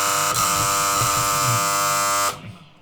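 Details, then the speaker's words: Healing 400J clock radio with Smiths clock, alarm switched on while chasing mains hum after recapping: harsh, steady raspy electric buzz for about two seconds, cutting off cleanly; alarm buzzer working normally. "Well, the alarm works, that's for sure."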